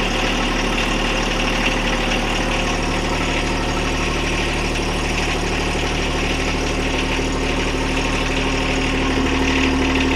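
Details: John Deere 1025R tractor diesel after oil, oil filter, fuel filter and air filter change: steady clatter settling into an even idle with no knocks or misses; healthy idle.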